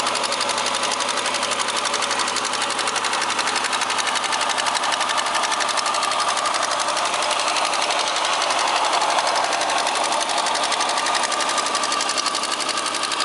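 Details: Opel X30XE engine cold start with check engine light on: steady fast ticking knock, a little over two per second, over busy engine note; hydraulic lifter on cylinder 1 suspected.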